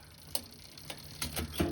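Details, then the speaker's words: Privateer 141 with Shimano XT Microspline cassette, SRAM GX Eagle chain and drivetrain: light sharp irregular ticks while pedalling as a fourth-speed cassette tooth lifts a chain link; the Eagle cassette clicked similarly, B-screw and cable tension adjustment didn't help, owner suspects chain one link too long. "the fourth fourth speed one of the fourth speed teeth is touching the chain and it's kind of kind of uh lift is like lifting the link it hits the chain uh the chain hits the link then it cut and it comes off of it"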